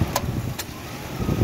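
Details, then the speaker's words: Ford Explorer at idle, AC on: two sharp clicks about half a second apart as the compressor clutch engages for a second or two then drops out; fault traced to intermittent relay ground wire, fixed by permanent ground; intermittent AC clutch. "but in this case it's not working right because it keeps cutting in and out which i will show you so now you can see it cuts on for just a second or two and then cuts out"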